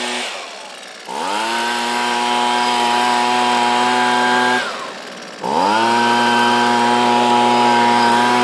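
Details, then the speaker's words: Husqvarna 125B two-stroke leaf blower after coil replaced for no spark: two throttle blips climb cleanly to a steady high howl, no stumbling or surging; runs properly, carburetor may need slight fine-tuning. "that's not too bad I think the carburetor might need a little bit more finesse but for the most part that sounds pretty dialed in"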